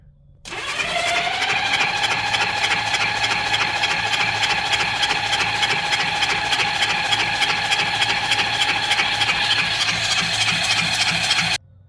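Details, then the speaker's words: Honda Goldwing motorcycle, low mileage, sat 5 years: starter spins fast and steady, about three turns a second, never catches because fuel was off and carburettors still dry; cranking, no start. "well the starter sounds pretty good but it might help if you uh turn the gas on you know that tends to do something"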